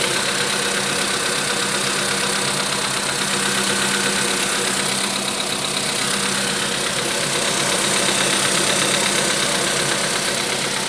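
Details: VW Polo Sedan 1,000 km after piston replacement: steady idle with a light repeating tap about three a second under hiss; engine knock at idle, cause not identified.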